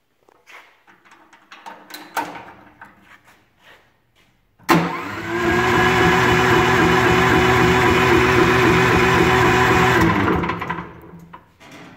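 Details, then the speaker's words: Old automotive supercharger plumbed backwards as a vacuum pump for a mini hydrovac rig, running unmuffled: about five seconds of loud, steady, even roaring with a constant whirring tone, no knocks or surges; normal running, just very noisy. "another thing we didn't know is how loud a supercharger was i assumed they would be quite noisy without the a motor on the back end of them to muffle them and they are they do make quite a bit of sound"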